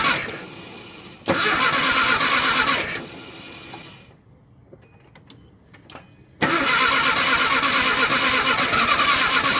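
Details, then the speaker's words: Nissan Hardbody, cold start in freezing weather after sitting in the street: two long cranking bursts at a steady starter rhythm, engine never fires; cranks but won't start, cause unknown. "link still nothing it just kicks over so I'm not too sure what's going on guys"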